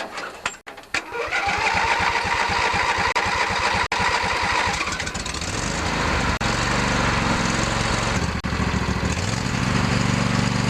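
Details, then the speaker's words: Lawn tractor with Briggs Intech 23 hp OHV twin, fuel valve shut off for winterizing: brief cranking after sitting a while, then catches and settles into a steady, even V-twin run with no misses or knocks; normal running. "As you can see, it didn't take long for the fuel that was left in the carb and the fuel pump to get burned out."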